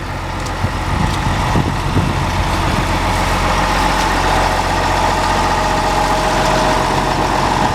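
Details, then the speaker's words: 544 diesel shutting down: heavy steady rumble with an uneven mid-pitched whirr and a faint tone on top. It always makes this noise at shutdown; cause unknown, owner hopes it is nothing. "don't ask me what that noise is at the end when you turn it off but it always does that if you know what it is because you have 544s i hope it's nothing to worry about"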